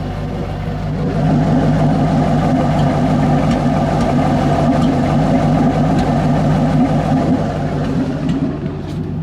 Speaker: I think I'm still having the same issue. sounds healthier, but that that pop is concerning. It's more and more the warmer it gets, too.